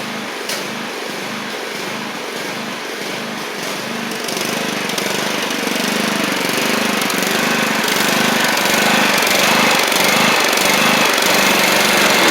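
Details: Troy-Bilt Pony 42X with Powermore engine, driving and cutting under load: pulsing beat about four times a second, slightly uneven. The carburetor is still dirty and needs more cleaning.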